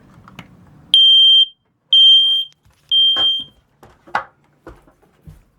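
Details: Newly installed hardwired, interconnected ceiling smoke detector on AC power (green light on) pressed to test: three loud, shrill beeps about a second apart, then only handling noise. The alarm works, but the other interconnected alarms weren't heard sounding.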